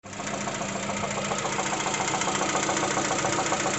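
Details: Lada Vesta 1.6 engine: sharp, regular metallic knocking around three and a half per second over steady running; cylinder 2 is checked, cause unconfirmed. Engine knock.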